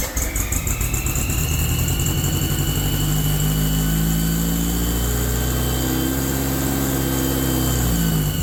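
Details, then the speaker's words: Rebuilt VW air-cooled 40HP engine on its first start, running on a replacement Bocar fuel pump: catches and runs unevenly, speed wandering with a lumpy beat, and won't settle for the cam break-in. Carburetor tuning is suspected. "yeah it's definitely uh going to need some tuning that uh 20- minute break in for the cam is well it's not happening yet this is a problem with the new builds sometimes the carburation just isn't perfect though"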